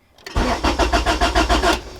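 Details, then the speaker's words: Acura Integra that only starts by push-starting cranks at an even pace, about six compression pulses a second, but never catches; the owner suspects the distributor cap and rotor or ignition coil, possibly the starter or a fuse, unconfirmed. "i'm going to try to turn it on real quick so you guys can kind of hear it out all right let's try to turn it on see it's not turning it's not turning on"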